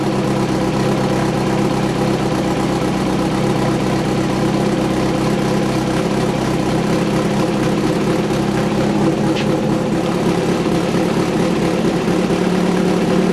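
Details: VW 2276cc air-cooled flat-four in a buggy after new pushrod tubes, sand seal and CV boots: steady, even idle with constant low drone and no knocks or misses; normal idle.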